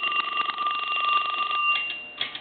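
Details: Western Electric 2554 mini wall telephone, Harvest Gold, aged, rung from the line analyzer: rapid, uneven double-bell clatter with thin tones; bell switch was off and loose, ringer out of adjustment and needs readjusting.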